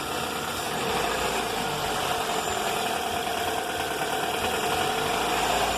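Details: 2004 Toyota Corolla at idle, noise began before an engine rebuild (pistons, timing chain, tensioner, valves, VVT replaced) and persists, on 15W-30 oil (15W-40 didn't help): busy clatter with uneven tapping ~3–4 per second, rising with throttle; engine knock, cause unknown.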